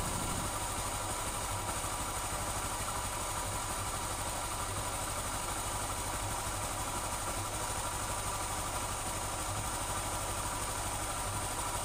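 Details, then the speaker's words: 2021 Honda Scoopy FI (Genio engine, eSAF frame) idling with the drive pulley removed: a rough, uneven rumble persists. This points to the middle crankcase, a worn crankshaft bearing; the magneto on the right side was checked and fine. "ini fix Ya bahwa suaranya itu masih utuh atau masih kasar berarti permasalahan ada di bagian mesin bagian tengah"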